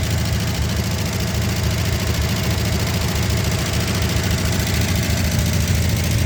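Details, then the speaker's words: Barn-find 1963 Ford Galaxie 500 convertible, 289 V8, first start in 30 years on primer: rough low idle with fast irregular ticking; valve train noise, owner hopes it's just stuck and may add automatic transmission fluid to free it up. "got a little train noise I might see if I can run a little automatic transmission fluid or something to free up those hopefully that's just stuck"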